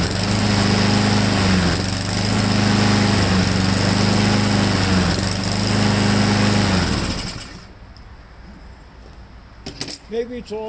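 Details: Honda-powered Husqvarna mower: buzzy beat sags and recovers every couple of seconds before shutting off; owner doubts the choke, suspects the carburetor emulsion tube needs removing. Cause unconfirmed.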